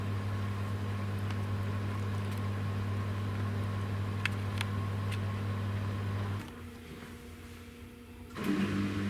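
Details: New Samsung WW10N645RBW washing machine (November 2018), first use after leveling the legs, spin rated 73 dB: steady low motor hum, short quiet pause, then motor picks up with a rising whirr as spin begins; normal.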